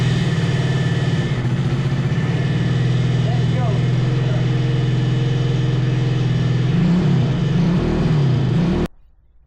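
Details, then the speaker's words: 125cc drift trike engine after fixing wiring and engine ground for no spark, idling cold with choke: steady low putter with slight pitch wavering, then shuts off cleanly; sounds healthy. "It's running now. Good. Yeah, it sounds good. The choke is on, off... but it's not warm yet, so I think that will be okay."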